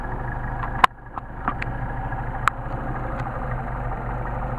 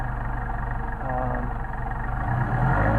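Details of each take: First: 190SL Solex 44PHH carburetors on test, no load, idle about 800-900 rpm; turning the idle mixture screw in brings an uneven, stumbling rolling misfire, meaning too lean; the fix is to back out about 1/8 turn. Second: Mercedes 190SL on re-tested Solex 44PHH carburetors, no load: the petrol engine idles low and fairly steady at about 800-900 rpm with a soft even pulse and a slight rise near the end; idle is deliberately set low and is adjustable.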